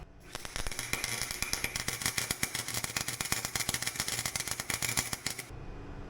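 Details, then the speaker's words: Harbor Freight welder set at six with new Forney wire, welding a cleaned truck leaf spring; uneven crackle with irregular pops and gaps, jumpy unstable arc; owner wonders whether the metal is too thick, wire or technique, not confirmed. "still seems a bit jumpy I don't know I applied it into the wall under here maybe this Metal's too thick"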